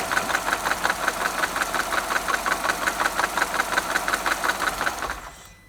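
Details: Peugeot VTi petrol engine, also fitted to BMW Mini cars, idling with a steady metallic timing chain rattle, about three clicks a second, before shutting off.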